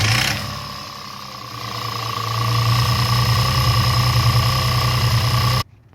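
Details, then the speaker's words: Audi A4 with 3.2 FSI V6 running: fast, loose metallic rattle from the rear of the engine where the timing chain sits; timing chain rattle; fix is replacing all timing chains and guides with engine removed. "noise is coming from the rear area of the engine located right here that's where the timing chain is located on this Audi engine"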